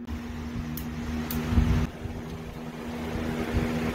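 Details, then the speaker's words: Craftsman 20V 150W battery inverter under a stress test through a splitter, powering a box fan on high, an LED bulb (about 10W) and a charging tablet: steady fan drone with a low hum, running evenly with no bogging; normal operation. "we got a light off of here we got the box fan on high we got the light bulb running and we got the tablet running"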